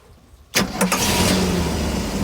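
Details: Sea Ray Pachanga 32 with OMC 460 V8 engines, starting after a tune-up with Champion plugs gapped at 0.035 in and the carb adjusted; exhaust hoses are only temporarily clamped. Quick start into a smooth, even idle that is set slightly high.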